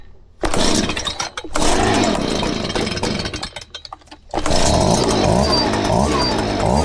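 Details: Stihl BG 65C leaf blower after primer bulb replacement: a couple of pulls, then it catches and holds a steady, smooth high-pitched run without stumbling. Normal start and run.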